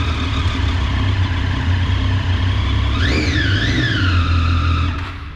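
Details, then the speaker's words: Daytona motorcycle cranked: even, steady cranking and smooth running with quick rev rises, a normal start compared with the heavy, irregular crank of a bike with 53,000 km that died while riding. "preste atenção no ruído descompassado daquela partida lá com essa daqui ó partida"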